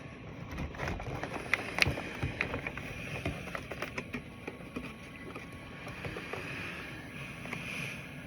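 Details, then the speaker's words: ResMed AirSense 10 stationary CPAP at +18 cm water pressure with a Micro Nova mask, rated 27 dB: soft, steady rush of air under clicks and mask handling, no whistle or rattle; normal airflow. "So if you could just listen. That's going to be the sound that's generated when you're using your stationary device."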